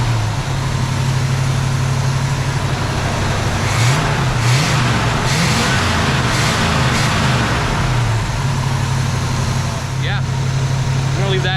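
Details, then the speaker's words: 1973 Camaro RS V8 holds a low, even burble at idle with a steady beat and no misses or knocks, music over the middle; owner sees no need to replace it, smooth healthy idle. "I don't really feel like I need to change it out anytime soon because it is running pretty good it's pretty smooth all eight cylinders you know"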